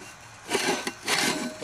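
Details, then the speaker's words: John Deere 4430 transmission damaged by the starter drive gear: uneven gritty scraping bursts as the gear is turned by hand, broken pieces trapped under its spot-welded cover, which must come off. "I know that there is pieces in there I can feel them so um you can hear them"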